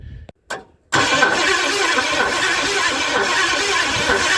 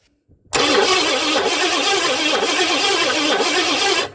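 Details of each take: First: 1958 Edsel, points ignition, carburetor off, starting fluid in intake, power at coil: cranks steadily for seconds with no firing, crank-no-start from lost spark (Duraspark conversion planned). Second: 1958 Edsel engine, freed from seizure last fall, cranked with ignition off: starter spins it strongly and steadily with even compression rise and fall, no grinding or clatter, normal cranking.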